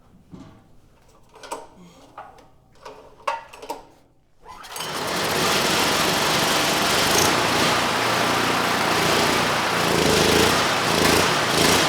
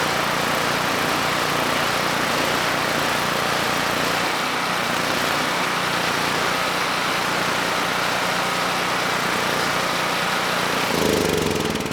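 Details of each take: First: Neglected, low-compression Generac GP5500 generator after correcting gasket order between engine, insulator and carburetor: fast busy run with slight rise and fall, much better but still surging lean, needs partial choke. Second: Generac GP5500 generator (low compression) back on its first carburetor with the vacuum leak and fuel leak fixed; started first pull, choke off after about 10 s, under a 1500 W load: steady drone, no misses or surging, holding speed smoothly.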